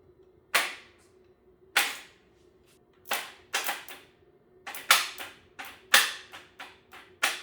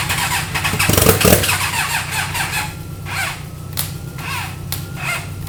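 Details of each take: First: 300hp turbo GSXR motor in a 6x6 mini Jeep, freshly rebuilt, cranked by bypassing the start relay: about a dozen sharp irregular bangs, roughly one a second, then a faint hum. Cause of the banging unknown. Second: Rebuilt 300hp turbo GSXR motorcycle engine in a 6x6 mini Jeep, first start on eBay parts with the fuel system and turbo oil drain not fully hooked up: a short crank, then a steady, even run with no knocking. Sounds healthy.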